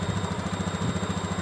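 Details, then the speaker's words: Honda Beat ESP injection scooter with the idle adjusted about two and a half turns to the factory 1300–1500 rpm range: a quick, even single-cylinder putter of about twelve beats a second, holding steady without hunting. Normal idle. "tetap standar karena ada standarnya kalau dari bawaan pabrik itu sekitar 1300 sampai 1500 sudah cukup"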